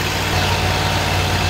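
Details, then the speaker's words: Kohler Command Pro 25 (CV730) V-twin on a Great Dane zero-turn with a cutting-off complaint, running on a temporary fuel feed with a little choke: a steady, even idle still running after a minute. "It's been about a minute. She's still running."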